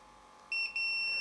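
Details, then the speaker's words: Samick KS10 guitar amp power rocker switch on a continuity test: a steady meter beep cuts out briefly when the center lead is moved, then returns and holds. Intermittent contact from a loose internal pin or bent rocker. "cuz I reckon we've got a dicey connection seems to be the center lead when I move the center lead the continuity goes"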